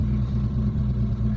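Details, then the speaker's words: Mitsubishi GSR, manual, at idle with aircon on: low, uneven idle, the exhaust sputtering and pulsing rather than steady, RPM rising and falling. It also dies on first start. "tapos parang nanginginig yung ano pugak pugak yung tambutso hindi yung 3 diretso"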